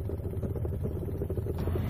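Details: Royal Enfield Bullet single under way after a misfire was fixed by moving the clutch cable off the HT lead at the coil: steady, even firing pulses with no misses; running cleanly.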